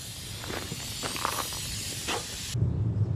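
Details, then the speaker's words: Diesel-fired Steam Jenny 200 Plus steam cleaner: soft, uneven hissing roar continues at least 5 minutes after all power shut off, flames still visible in burner; owner suspects fuel valve delivering far too much fuel. Burner still firing after shutoff. "you can hear it sounds like it's still burning in there yep there's flames in there that's not really a good sign"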